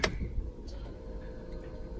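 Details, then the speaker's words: Vauxhall Corsa D 1.3 diesel, original repaired ECU refitted, codes cleared; click at key-on then faint steady hum, fuel pump priming normally, which it did not do with the other ECU. "All right, the pump is going. The pump wasn't going when I had the other ECU."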